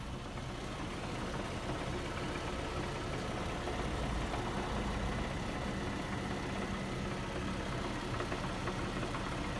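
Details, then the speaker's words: 2008 Infiniti G37 petrol engine at idle: a loose, tinny metallic rattle underneath, present for three or four months, louder as rpm comes down; owner suspects the catalytic converters, cause unconfirmed. "I just hate the way it sounds and when you put the RPMs a little bit higher it gets louder"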